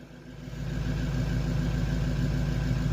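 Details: Bus engine started first try with booster on the battery: catches and within half a second settles into a steady, even low idle with a regular beat; runs healthy.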